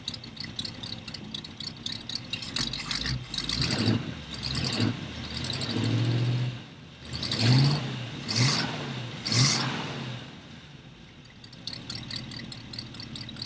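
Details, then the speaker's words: Engine just reinstalled after being pulled and mated back to the transmission, wiring still needing an overhaul: cranks, catches, takes a few uneven throttle blips, then settles to a steady idle; starts and runs normally. "Wiring definitely needs an overhaul, but we got it set up to where it'll start and drive, or start and run and drive."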